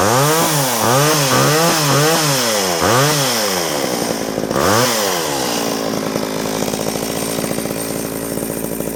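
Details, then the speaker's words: Homelite 240 chainsaw, left sitting with ethanol gas, carb kit just installed: fires and revs in quick blips, then settles to a ragged uneven run; carburetor rebuilt but not yet tuned. "It's not tuned yet, but it's running. So I'll have to take a little screwdriver and fill it full of gas and take it in the back and tune it while it runs."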